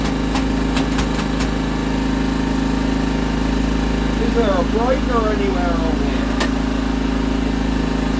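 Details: Scrap auction Honda generator, no new parts, breaker on, powering a 400 W halogen work light: steady even drone and constant low hum, no surging or misses; normal running under load.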